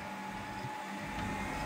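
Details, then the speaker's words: 1000W grid-tie inverter reported as error/not running: after dust cleaning and oiling the stiff cooling fans, heated sensor triggers fan; smooth steady whir, even pitch, no scraping; fan and unit run normally. "ครับครับก็ตอนนี้พัดลมทำงานปกตินะครับสำหรับเครื่องนี้นะตัวเครื่องรันได้ปกตินะครับไม่มีปัญหาใดๆ"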